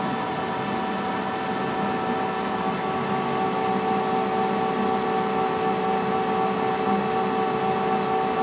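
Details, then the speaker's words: Lathe turning at 200 RPM, taking nearly a quarter inch off with an inserted cutter and lantern tool post: a steady, even drone with constant tones and no chatter or labouring, cutting comfortably, not struggling. "You can hear the lathe working, but it's not struggling, it's just doing what it's supposed to do."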